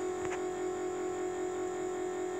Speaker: That noise you hear with the key on is the electric brake motor running. And that shuts off once the vehicle's running. That's completely normal.